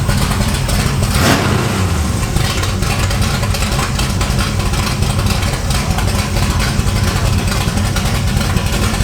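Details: 1968 Camaro V8 with exhaust cutouts/headers open, back on the road after 5 years: deep, loud rumble with a steady lope, then sharp responsive throttle blips; healthy running.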